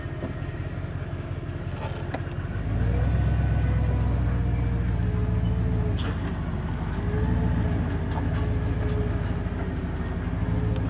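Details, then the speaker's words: Chevrolet Silverado 2500, 8.1 L Vortec V8 with Allison transmission, towing a boat after replacing only the number 6 coil: deep drone under load with irregular stumbles; misfire persists at low rpm. "it's continuing to misfire so seems to come out of it really fast but it does have that low misfire at uh or that misfire at low rpms"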